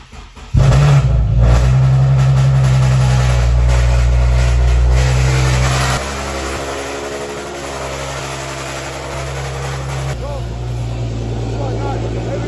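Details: Infiniti Q50 after fuel pump replacement and clearing tune-related DTCs: engine cranks briefly, fires straight up and revs, then drops to a steady, even idle, starting and running cleanly.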